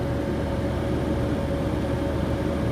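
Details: 15-inch Silverado PWM radiator fan in a BurnDown/Warr Performance shroud at 30% duty cycle: steady, even whoosh with a faint constant motor hum, no ticking or rubbing; normal low-speed running, about 750–800 CFM with broader airflow through the radiator.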